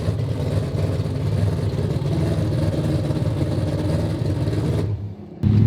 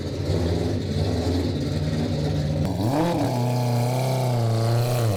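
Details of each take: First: AWD four-rotor rotary car at idle with only 20 psi oil pressure: deep steady idle with a constant gear-like whir underneath; owner suspects failing oil pump internal gears. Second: AWD 4-rotor rotary car on the road: smooth steady drone rising and falling with throttle under road load, no knocks or rattles; pressure and temperature good, running normally.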